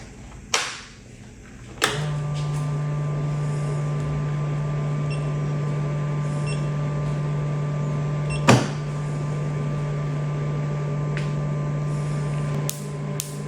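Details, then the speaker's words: Imported tattoo-removal laser machine after replacing the broken xenon lamp and the shorted simmer-circuit MOSFETs with substitutes: a few sharp clicks then a steady low hum, powering up with no error codes and working like new. "Well, it's a lot of satisfaction when you go and turn it on and there's no more codes. And we tested it and it worked like new, no problem."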